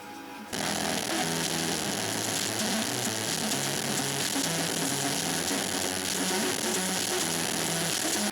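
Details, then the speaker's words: Onkyo TX-SR806 AV receiver playing music: harsh crackly garbage noise with music barely audible, steady throughout, hum heard at power-on; fault cause uncertain. "So, this is very horrible. [laughter] Uh, let me see. I mean, this could be many things."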